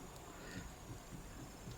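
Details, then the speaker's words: GMC Envoy: soft, dull clunks about twice a second as the steering wheel is rocked, showing a lot of play that also clunks while driving; bad rack bushing, and the attempted fix failed. "And when you're driving, you hear the clunk, clunk, clunk, clunk and all that."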